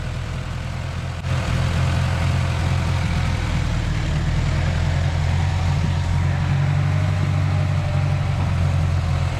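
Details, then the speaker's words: 1931 Ford Model A after a first-time engine swap, running after a fuel pump was fitted and the carburetor adjusted. Deep, even low rumble at idle with no knocks, misses or surging; a normal, smooth idle. "Joshy adjusted the carburetor. Let's suspend any music and just listen to that purring engine. Boy, it sounds good."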